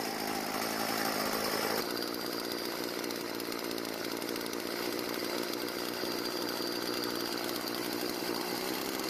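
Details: Stihl FS36 trimmer out of storage, after turning the L idle screw half a turn counterclockwise: a steady, high, buzzy two-stroke idle that holds without stumbling or dying. It starts and idles cleanly.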